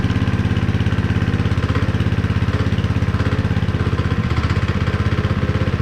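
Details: Honda GX160 5.5HP on concrete power trowel, unrun for years, after repair with cleaned spark plug: steady, even single-cylinder thumping about 200 beats a minute with one brief stumble; running fine.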